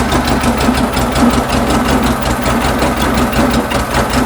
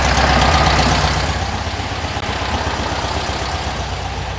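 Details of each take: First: 1974 VW Beetle flat-four with dual 34 carburetors and points ignition, before tune-up: idle wavers and lopes with uneven pulsing beat; carbs unsynchronized, sync tool reads 5 on one and 10 on the other. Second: 1974 VW Beetle flat-four, dual 34 carburetors, points ignition, hot, after syncing carbs and setting timing about 8 to 9 degrees, dwell about 43: even steady idle, smooth unbroken beat, no misses before winding down; properly tuned idle.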